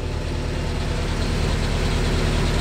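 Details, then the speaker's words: Willys Jeep engine rebuilt with original parts, cold start on choke, good oil pressure, no temperature yet: steady even fast idle, smooth regular exhaust beat, no misses or knocks; healthy. "still got a fast idle going no temperature showing yet good oil pressure just heating"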